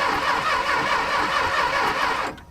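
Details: Junkyard engine for a 1961 Chrysler, with missing plug wires and dirty points: fast steady cranking with uneven catches, as if about to fire but never taking off; cranks but won't start.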